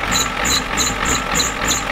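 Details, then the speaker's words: 1993 Ford F-250 7.3L IDI diesel with new injectors, started at half throttle after sitting since Monday, smoking: sharp clattering knocks about three per second over a rough, uneven idle; timing check confirmed the injection pump is out of time. "yeah this thing's definitely out of time thank you guys for telling me that we were kind of wandering but we didn't know for sure but it's got new injectors and look how it runs"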